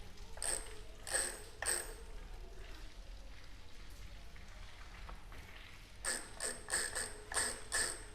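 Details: Bicycle about five months old with water exposure and oxidation: sharp dry gritty ratcheting clicks in short bursts each time the wheel spins; grease washed out and sand inside the hub.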